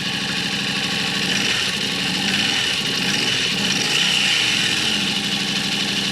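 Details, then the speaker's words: 2023 Yamaha RMAX side-by-side after engine rebuild, first start in neutral: steady, even idle with a smooth hum and no knocks, misses or rattles; rebuilt engine idling healthily. "Man, that sounds so smooth. I can't tell you how nervous I was about that working."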